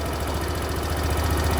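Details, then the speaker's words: Suzuki Access BS6 scooter with modified idle air control valve: loosening the adjuster raises idle; steady, quick low thrum with even pulses and no misses at raised idle speed (recommended idle about 1700 ±100 rpm). "Okay ಐಲಿಂಗ್ ನ ಇಲ್ನೋಡಿ ಇದನ್ನ loose ಮಾಡಿದ್ರೆ ನಿಮಗೆ ಐಡಿಲಿಂಗ್ ಜಾಸ್ತಿ ಆಗುತ್ತೆ ಕಾಣ್ತಾ ಇದಿಯಾ"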